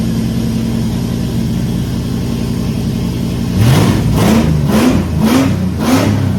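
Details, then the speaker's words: Holden VK Commodore Brock tribute 5.0 V8 on first cold start after electrical fixes; loud raw idle rumble and harsh unmuffled revs, no exhaust fitted behind the cat, probably exiting at the cat; missing exhaust. "I even blew the plastic off the back of the car and there's no exhaust back there uh I think we're exiting out here out of the cat"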